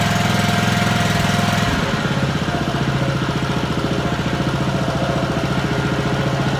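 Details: Honda lawn mower, single-cylinder, after cleaning the carburettor idle jet and float chamber to cure surging and cutting out at idle: brief rev then a steady, even idle of about 3.5 beats a second with no hunting, a normal idle.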